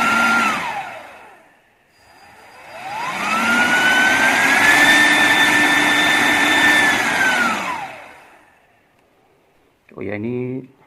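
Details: Brushless motor/turbocharger fan on a servo tester with its original potentiometer, powered by a 12 V computer power supply: whine climbs to a steady high pitch, holds evenly, then winds down smoothly. Healthy motor at high speed.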